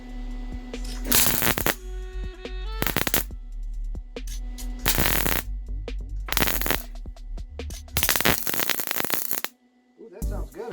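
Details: Welding a crack on a mini bike frame just after turning the welder down from too hot. Even, crisp frying crackle with each trigger pull and no popping or spatter surges: a normal, correctly set weld.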